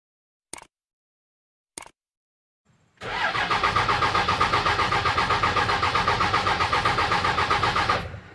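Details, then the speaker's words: Dodge Ram 2500 5.9 L 24-valve Cummins diesel, codes P1689, P0237, P0230, P0177 stored, parts previously replaced: steady cranking about four beats a second for five seconds, never firing; crank no start, cause unconfirmed. "Now there is a problem with this vehicle. It's not turning on anymore. It cranks, but it won't start."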